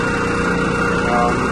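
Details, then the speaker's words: Single chilled-water pump, about a year old, serving two York YMC2 magnetic-bearing chillers in series, vibration heard through walls: steady rough drone with fluttering low rumble from a torn Duraplex coupling and misalignment. "there's our coupling yep there's a tear in it right there so that's probably causing our"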